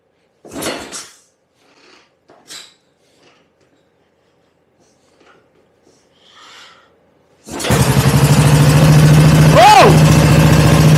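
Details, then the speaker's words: BSA Gold Star big single, first start attempt, cold garage, choke on, ignition set just short of fully advanced, oil pump circulating: after shuffling it catches and settles into a steady, even thump with one quick blip, normal running. "oh my goodness gracious oh [Music] what a beast what a beast i'm with this ladies and gentlemen i'm so true this is brilliant wow what a sound"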